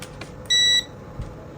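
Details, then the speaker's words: Nikko Kendo tower fan whose buttons and triac had failed: after the on/off button was repaired, pressing it gives a single clean high beep of about a third of a second, control board responding normally. "Rồi như cái giữa là cái nút on off nè là mình sửa rồi nè. Mình bấm thử nè."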